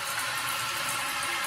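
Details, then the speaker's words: Toilet float-style fill valve refilling the tank after a flush: a steady rushing hiss of water with no hammering or squeal, the valve open and filling normally. "tube, down into this fill tube, and fills the tank. We're just gonna wait for it to fill up, test it out, see if we have to make an adjustment."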